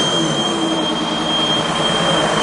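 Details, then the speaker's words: 2002 Ford Escape with recurring coolant leaks, rpm raised: thin steady high whistle over a dull, muffled engine run, suspected exhaust back pressure escaping at the DPFE sensor from a restricted exhaust; O2 sensors read flatlined but work correctly. "all right now clearly you can hear that whistling sound and that whistling sound sounds to me like it's coming from the dpfe again this is a ford so we've got the the dpfe there which makes uh very easy for exhaust back pressure um examination"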